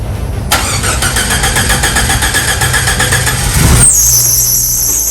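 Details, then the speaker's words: Jeep Wrangler YJ, first start after the cracked stock tank was replaced with an 18-gallon MotoBilt fuel cell. The starter cranks briefly, then the engine catches and settles into a steady, even run with no misses under music; normal start. "okay fire it up see how it runs for the first time"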